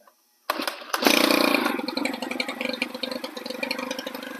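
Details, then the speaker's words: Stihl FS 110 4-mix (four-stroke) engine after its leaking crank seals were replaced and the cam plate bolts torqued: quick start after a pull, then a steady, crisp idle with no stumbling; running normally. "all righty guys i got her button back together and man does she run sweet"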